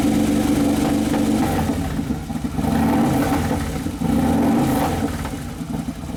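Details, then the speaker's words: 2011 Harley-Davidson Road Glide Twin Cam after motor and primary repair, first heat cycle: rises and falls through a few blips and settles to an even idle, no knock or tick; engine running normally. "yeah it sounds like it's settling there's your first heat cycle"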